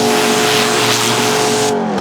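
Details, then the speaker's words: Kolner KHPW 2700IFR electric pressure washer with rotary dirt-blaster nozzle, rinsing a mat before shampoo: steady, even electric motor hum, then winds down; quiet washer running normally. "Это, получается, грязевая фреза стоит. Я думаю, слышно, надеюсь, что слышно. Мойка не шумная."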